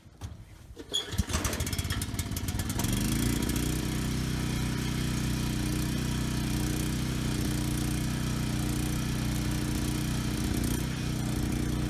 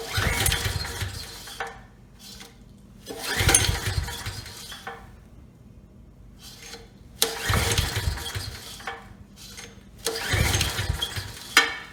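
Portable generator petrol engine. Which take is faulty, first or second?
second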